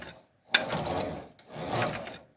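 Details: Knitting machine carriage after replacing worn rubber toothed side strips that had caused a heavy knock on leftward passes; smooth rasping sweeps about a second each with no knocking between strokes; normal carriage run.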